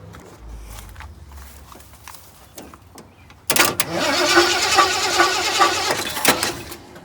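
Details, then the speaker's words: Hot truck engine that won't start, cranked in run/start tests: starter cranks in an uneven, lurching rhythm, engine bouncing backwards, never firing; crank no start, cause unknown. "So it might not be that, because it's hot enough it would fire without giving it gas. Right. Oh yeah. Phone's about to die, but anyway. So we couldn't get it running."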